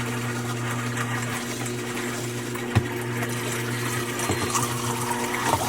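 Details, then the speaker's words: New Bosch 800 Series fridge after copper flare ice-maker water line install, first dispenser test: steady low hum with hissing trickle and small air clicks as water flows through the filter; connection has no leaks, normal first fill. "Alright, first test. You hear the water going through the filter."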